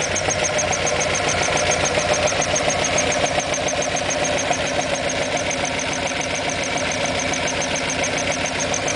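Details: Alfa Romeo Alfetta GTV 2.0L at idle: sharp, regular tick about three and a half per second over the idle; ticking noise, cause unknown.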